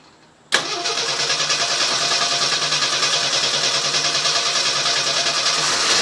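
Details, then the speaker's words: CJ Jeep 258 six-cylinder with Weber carburetor and reworked vacuum lines, cold start, EGR valve not moving: catches cleanly to a fast busy idle with occasional faint pops; intermittent popping at idle, cause unknown. "I heard it pop right now nobody will be popping every once in a while I don't hear it at all"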